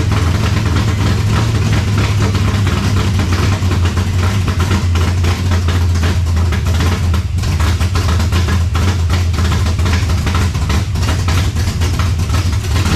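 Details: 1970 Chevelle V8 with Holley Sniper 2 fuel injection, just started after timing adjustment: heavy idle with uneven, lumpy beat and no smooth rhythm; rough idle, owner suspects ignition timing still off, may check plugs and IAC settings.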